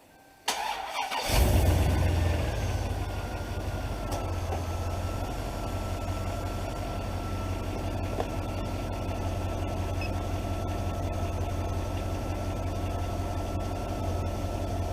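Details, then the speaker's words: 2003 Chevrolet Silverado HD 2500, 8.1L V8: starter cranks slow and labored for about a second on first hit, then speeds up, catches and settles to steady idle; battery tested at about 60% life, 508 cold cranking amps; cause not yet confirmed. "it kind of cranks over slow at first when you first hit the starter and then it speeds up and starts"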